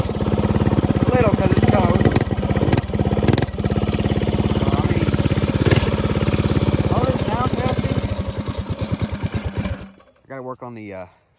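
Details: Mega Moto 80 minibike with a box-stock 196 racing motor, now with better compression and the original header: the small single fires right up and runs at a steady, even, fast beat with no knocks, then shuts off. Normal running.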